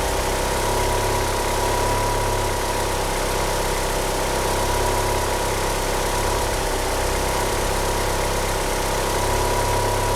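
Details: Car with 850cc injectors that cannot rev up, steering pump belt slipping: idle speed holds constant but the low rumble wavers and pulses unevenly over a steady hum; rough idle, cause undetermined.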